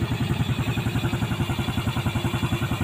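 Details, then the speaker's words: Yamaha Vega ZR motorcycle engine after service for a ticking noise and white smoke, now idling evenly with a steady low thump and no ticking or clatter; before the service it ticked heavily, now judged very smooth. "Nah, kalau menurut saya halus banget ya, halus banget."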